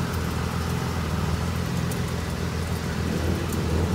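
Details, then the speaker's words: 2005–2010 Pontiac G6, front wheel lifted, in drive spinning at idle, comparing sides: low steady droning hum on one side; worn front hub wheel bearing with ABS, barely drivable before replacement. "let it spin at idle checking for the wheelbarrow kind of hear it so this side sounds like that and this side sounds like this you can hear it"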